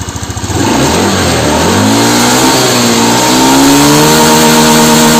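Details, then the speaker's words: Honda Beat FI scooter with no top-end power: revs rise quickly then the pitch flattens near full throttle instead of climbing; low and mid rpm fine, idle slightly stumbling. "jadi tenaga atasnya Tuh hilang yeah"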